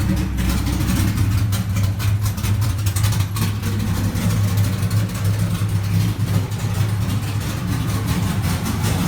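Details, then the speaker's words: 2000 Camaro SS V8 cold start; deep lumpy rumble with even rhythm, no knocks or ticks; healthy engine idling. "i got a little bonus clip of a cold startup that i had done a few days ago on the car so you guys can actually hear it"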